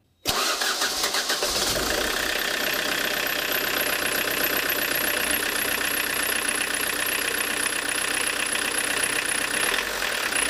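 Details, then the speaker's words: Diesel with Lucas DPC injection pump after correcting injection timing (suspected to have slipped, with misfiring when cold): starts and settles into an even, steady clatter, running smoother; normal diesel idle. "Ну вот уже повеселее. Как-то и мотор как-то ровнее стал работать."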